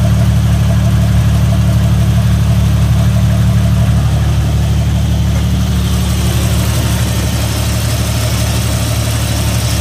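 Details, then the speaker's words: Jeep XJ after installing hydraulic assist steering, at idle while the wheel is cycled slowly to bleed it: groaning hum that shifts as the wheel turns, from air still in the power steering fluid. "getting any easier to turn is it me feel it oh yeah it's getting there still got some air in it though just keep cycling it slow you know"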